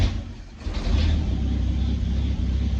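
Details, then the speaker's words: Engine restarted after replacing coil, wires and plugs (old plugs gunky, some black): catches and settles into a low, uneven idle with dips and wavers, still stumbling, cause not yet found; rough idle. "Still starts. I didn't make it worse. So that's something. Still stumbling."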